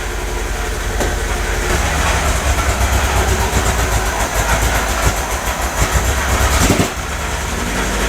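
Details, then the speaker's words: MGB 1800cc four-cylinder, long stored, on its first drive: runs unevenly on about three and a half cylinders with an irregular beat and stumbles, improving as it warms. Oil pressure is good; sticking valves are suspected and a compression test is planned. "it's only running on about three and a half cylinder design but the other cylinder or two will probably come back to life with a bit of use"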